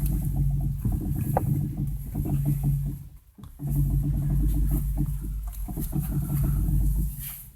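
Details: 2010 Renault Megane 2 with electric steering, steering while parked: low engine hum with irregular creaks and small knocks, from a worn strut top mount bearing binding, before replacement.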